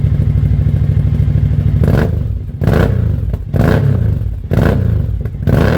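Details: 2003 Suzuki V-Strom DL1000 that had not been getting fuel or starting, now running after a new fuel pressure regulator, a fuel pump recheck and a new relay: it catches and keeps running, pulsing with throttle blips and no misfire.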